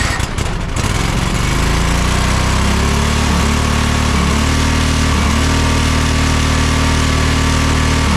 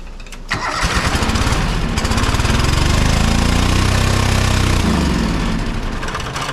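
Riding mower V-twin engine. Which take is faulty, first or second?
second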